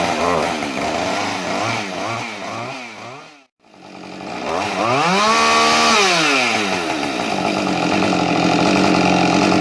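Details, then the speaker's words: Husqvarna 550 two-stroke chainsaw runs well upright but shuts off when turned on its side: revs, cuts abruptly to silence, restarts; owner suspects bad crank seal air leak or switch, cause unconfirmed. "it's got this funny problem where when you start it up, it runs beautifully, but if you turn it on its side, it just shuts off. I mean, off, as if it's almost an ignition problem."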